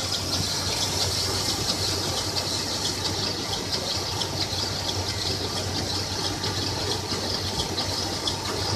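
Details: 1996 Toyota 4Runner at idle: a high hissing squeal over a low idle hum with an uneven chirp about every second, started a week ago. The owner suspects the timing chain or water pump area, but the front-end source is unclear.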